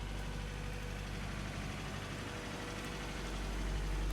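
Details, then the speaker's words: 1987 Nissan D21 Hardbody with 53,000 miles and TBI, seized after sitting 30 years, freed and running for the first time, smoking while burning off junk: low, even idle with a steady rhythm building slightly, no hunting or stalling. Normal idle. "okay so after sitting for 30 years with a stuck motor it's running going to burn off all the junk in it"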